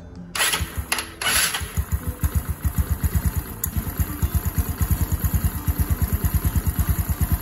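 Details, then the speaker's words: Yamaha Mio Nouvo scooter after replacing the noisy one-way starter part: steady, even putter about two beats a second after startup, no chatter or rattle from the starter; quieter than before the fix. "suaranya lebih adem ini daripada sebelumnya"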